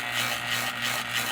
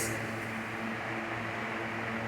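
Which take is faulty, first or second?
first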